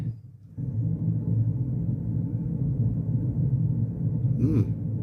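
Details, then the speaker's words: 1990s Vox AC30/6TBX valve amp, brilliant channel, no signal: low uneven rumble rising from near silence and continuing steadily; resistor or tube suspected, not confirmed. "Yes, there's a bit of rumbling there as well."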